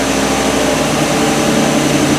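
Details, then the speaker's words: 2019 Chevy Express at idle after a serpentine belt replacement for belt or pulley squeal: steady, smooth drone with no chirp or squeal. The new belt appears to have fixed it. "so it sounds pretty good looks like the belt might have fixed it I'm hoping so issues pretty good so we're going to call that a win hopefully"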